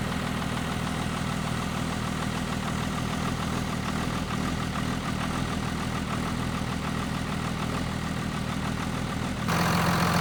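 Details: Cold start of a 2nd-gen Cummins diesel truck at -9°F, unstarted for a few days; clatter settles to a steady, even idle of about three beats a second while warming, thermostat not yet open. Normal cold idle.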